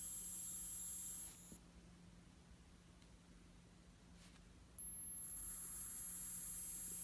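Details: Apple Watch with a faint steady low buzz and a thin high-pitched whine that drops out and returns; two repair attempts by Apple did not fix it.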